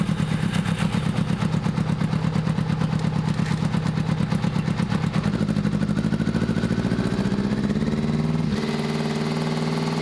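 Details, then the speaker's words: 600cc motorbike-engined buggy, cold first start on choke, untuned and possibly missing pipes; uneven ~3 pulses/s with stumbles and wavering speed, flames from exhaust; rough running, cause not confirmed. "Definitely running a bit lumpy but it sounds good."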